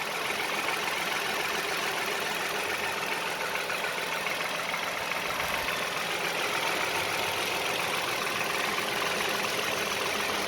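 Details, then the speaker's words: 2015 Toyota Sienna petrol engine at a steady, even idle with no ticking, after the code P219D was cleared and it was driven 4–5 miles. Earlier ticking had set the engine light; the cause is unconfirmed. "So but the ticking noise is gone. If you listen, no more ticking. That little tick, tick, tick, tick, tick, tick is gone."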